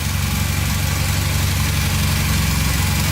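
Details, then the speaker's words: 1982 Honda CM450 that sat several years, with new spark plugs and a new battery, started on the electric start: an even, quick putter at idle with no misses or ticking. It sounds really good. "oh yeah sounds really good"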